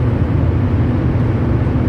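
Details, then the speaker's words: 2013 Chevy Silverado Duramax diesel that was earlier burning oil and smoking, driving: deep steady drone from the front end under road noise; owner suspects the front end but is unsure, rotors replaced about a year ago; cause unconfirmed. "yeah you should be able to hear that now sounds like something to do with the front end but I don't know"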